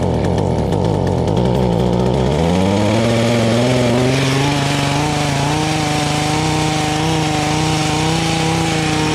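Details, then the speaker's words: Echo HC150 hedge trimmer, first start on cold-start choke after fitting a cheap Amazon Chinese carburetor: engine picks up over a couple of seconds, then holds a high steady buzz with no drop to idle; throttle not working, stuck high idle. "oh well guys that was pretty amazing we got a little life going to it but unfortunately the throttle was not working well and we were doing a high and absolutely high idle"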